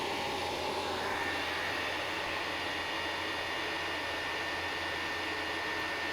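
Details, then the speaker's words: Chinese diesel heater, one of two heating a garage, in its startup sequence with the combustion chamber coming up to temperature: steady blower roar with a smooth, even combustion rush and no sputtering. Normal startup. "So this one is now doing its startup sequence, and the combustion chamber is coming up to temperature on this one."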